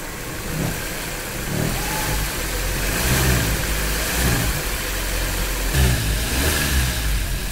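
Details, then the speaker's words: Maruti Suzuki Baleno, revved with AC belt removed: engine revs and settles smoothly, the humming bearing-like noise heard when pulling away or revving is gone; mechanic suspects the AC compressor is the cause. "करो तो friend अभी तो हमारा आवाज नहीं आ रहा है जो साउंड आ रहा था तो हमें लगता है कंप्रेसर का ही प्रॉब्लम है"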